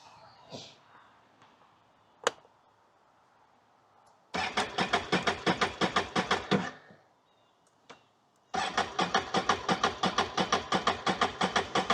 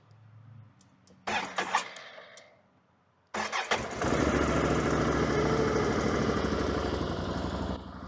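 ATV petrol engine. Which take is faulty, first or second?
first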